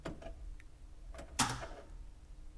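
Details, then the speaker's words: 1978 Volkswagen Bus electric conversion: one crisp click as the key turns on and the high-voltage contactor pulls in cleanly, then quiet; normal contactor operation. "and you heard the click so now we have our battery power in I'm going to crank it to do that start button that momentary contact here and that will initiate the precharge and we should hear that second click for the main contactor there it is"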